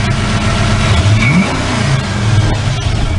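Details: 1988 Mustang GT after fixing wiring causing surging: engine blips up cleanly a couple of times and drops back with a short burp, even and steady, no misfire or surge; normal free revs.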